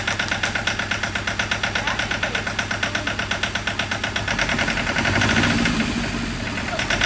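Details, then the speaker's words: John Deere 650 4x4 tractor diesel at first start after a budget rebuild of a blown engine, air still being bled from the fuel line: loud, uneven diesel clatter about three knocks a second; knock suspected, cause not confirmed. "like sounds like it has a knock that is not a ninja no I mean it's just fuel now just a fuel line"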